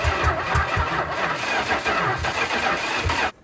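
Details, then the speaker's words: 1974 Dodge Monaco police car, 440 V8 sat for years: slow, dragging crank about two beats per second, labouring with no catch before cutting out; owner believes the starter is failing. "yeah pretty sure the start is leaving"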